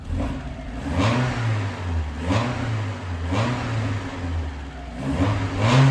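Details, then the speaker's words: Mazda Miata just after first start following valve stem seal replacement and new head gasket; revved with repeated clean blips, earlier weird sound gone, believed because oil had reached the top end; sounds normal, smoke clearing. "Probably oil had to get to the top because the car doesn't make such weird sounds anymore The sound is completely normal, it doesn't make any sound anymore"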